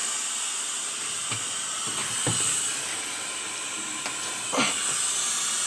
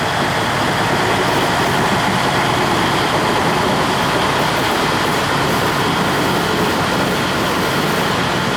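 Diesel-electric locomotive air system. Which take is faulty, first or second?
first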